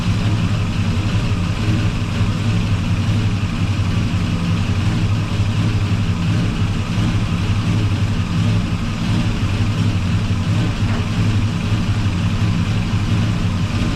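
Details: 1984 Chevy truck with a swapped 454 Gen 6 7.4L V8, still cold, timing being adjusted at the distributor: deep, steady idle with an even low rumble and no knocks or misses. Normal idle.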